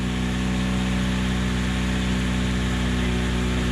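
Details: 3rd-gen Honda Prelude after crank pulley and alternator replacement, which cured the squeal and battery light: even steady idle with smooth low hum, no knocks, ticks or squeal.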